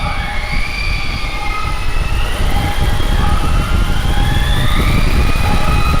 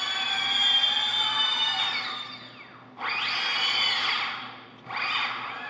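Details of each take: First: Heavy-lift drone, first flight test, batteries not fully charged, no motor idle set: loud, uneven surging drone as the prop tones drift apart and wander. The props are not in step; the owner suspects PID tuning. Cables are flopping near the propellers. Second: Heavy-lift drone armed at low throttle after swapping motor wires to correct rotation: a high whine swells and sags in three blips. The motors spin freely in the right direction; one seems slow to come on.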